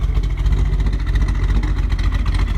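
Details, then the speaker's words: 1948 Mercury coupe V8, blipped under the hood as it warms: deep, even burble swelling and settling with no knocks or misses, not overbearing. Owner notes a little black smoke and slightly rich running, booked for a tune. Normal revving. "I've got it booked into a tune and test guy that I know very well, but Again, it's got a good sound to it."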